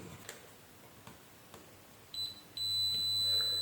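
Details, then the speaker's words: Spider MMA-600 IGBT inverter welder (LED flashing, display off, fan cycling): multimeter on a G40T60AN3H 40 A 650 V IGBT gives a sharp, steady continuity beep; collector-emitter and gate shorted, IGBT dead. "Collector to ammeter short circuit, ये collector to ammeter short circuit है। Gate also short circuit, collector ammeter gate short circuit है, तो इसको तो check करने की भी ज़रूरत नहीं है, ये तो सिरे से गया।"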